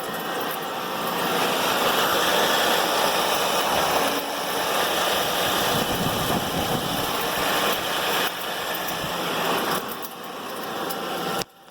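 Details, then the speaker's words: 2011 Ford Edge in drive, wheels turning: rough steady grinding with a loose rhythmic beat, loudest with stethoscope on the CV joint and quieter toward the gearbox; suspension items checked fine. "o barulho é bem forte a ressonância aumenta quando eu jogo estetoscópio aqui em cima da cinética"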